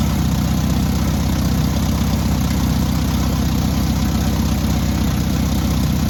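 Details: Newly rebuilt air-cooled VW 1600cc engine at its first start and break-in: steady, even low idle with a smooth regular beat and no knocks or ticks; normal idle.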